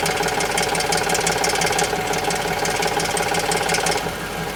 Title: Tundra engine knock and tick